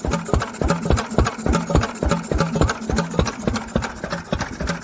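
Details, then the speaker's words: Old Lister single-cylinder engine, not run to temperature for 40 years until about a week ago, exposed valves and fuel pump; slow, even thumping about three beats a second, steady and unhurried: normal running. "yep that sound an absolute treat and i love it all little exposed valves exposed fuel pump it's all good stuff"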